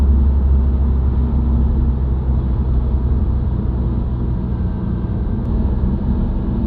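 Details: Subaru WRX, recorded inside the cabin while cruising: heavy low droning hum over steady road rumble, rising with road speed, independent of revs and gear, even out of gear. Dealer-diagnosed broken centre-diff viscous coupler.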